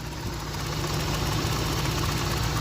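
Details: BMW E36 petrol engine idling with a light, fast rattle over the hum, louder after revving; first suspected VANOS or lifters, Liqui Moly lifter additive tried, turned out to be the alternator.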